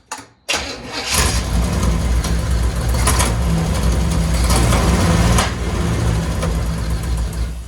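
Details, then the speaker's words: 1963 Chevy Impala V8 after carb gasket work, idle turned up: rough idle with sharp irregular clunks every second or two; source unknown, owner investigating (loose cylinder 3 valve ticking, bent rod, flex plate issue noted). "okay so now there's a clunking sound and i really don't know where that shit's coming from but i'm gonna try and figure that out right now"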